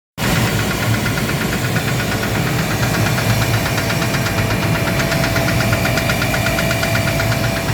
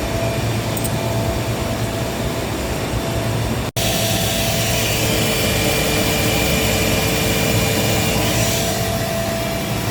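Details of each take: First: Gardner Denver screw air compressor running with a rapid regular metallic knock over its deep hum, caused by a defective pressure valve, fixed by replacing it. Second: Gardner Denver screw air compressor after replacing the defective pressure valve that caused knocking: steady even roar with faint constant tone, no knocking; one unit on load, two on standby, running normally.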